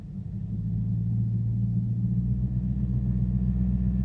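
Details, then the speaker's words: Infiniti M56 V8 with sport muffler, in gear with light throttle, in cabin: low steady droning buzz exactly at 1000 rpm; active noise cancellation system feeding drone through speakers, reacts when owner plays with its microphone. "well it's right at 1,000 rpm whistle it's about to happen watch it doing that kind of trips it out yesterday that's nut yeah it has to be right at 1000 rpm"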